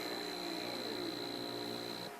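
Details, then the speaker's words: 5 A motor on a transistor H-bridge driven from a servo's motor outputs via a comparator; buzzing hum at the roughly 50 Hz square-wave drive frequency, whine winding down as it throttles back to stop, then silent; transistors cold. "you can hear it buzzing it's because it's receiving a square wave so you can hear it the humming is actually the frequency of the square wave it's receiving which is i believe i measured it's right around 50 hertz"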